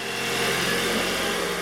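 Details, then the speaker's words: 2019 Hyundai Sonata SE, cold start before engine flush and Amsoil oil change. A fast light rattle rides over the idle, most noticeable up top; the owner suspects noisy cam phasers. "yeah you hear that maybe it'll change once it gets flushed down has amsoil put in it i know the toyota's had that problem too very noisy cam phasers"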